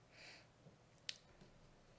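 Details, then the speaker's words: Amiga 2500 with Picasso II graphics card, changing screen mode to 800x600: a single sharp click in a quiet room as the card's internal relay selects the resolution; normal. "can actually hear the card click it's like a relay clicking inside the card that selects the appropriate resolution"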